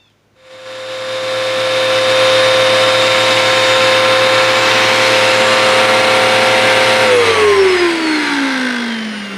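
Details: Hoover WindTunnel upright vacuum after its roller was replaced to cure a rattling noise. It spins up to a smooth, steady whine and airy rush, then winds down evenly with no rattle: normal running.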